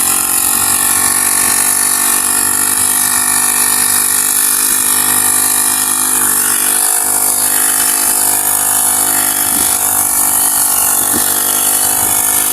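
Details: Honda GX35 four-stroke grass cutter, after cleaning its dirty carburetor (stalling/no-start fault): even, high buzzing drone, smooth with no surging, popping or dropouts; running healthy.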